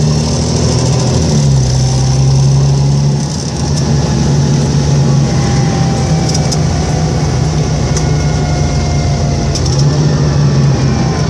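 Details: Volvo 7700A diesel city bus from Budapest (FKU-942) at idle: droning low hum jumping between pitches with faint whistle above; weird noise these buses often make, cause unknown.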